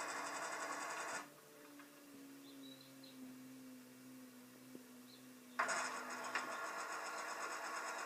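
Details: Washing machine with an intermittent noise in any cycle: bursts of fast, uneven mechanical clatter start and stop between quieter running stretches. Source of the rattle unknown.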